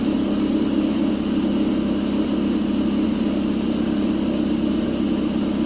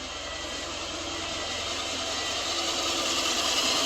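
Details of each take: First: A warm 2006/07 Subaru Impreza 2.5i, started ice cold with the battery at 11.85 V, develops a loping, uneven idle. Cam advance goes from 1 to 3 at idle as the advance valves open wide; unplugging them smooths it. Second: 2006/2007 Subaru Impreza 2.5i with a lopey warm idle, during diagnosis with a vacuum hose capped off: even, steady idle with a smooth hiss and no stumble, miss or hunting; normal idle.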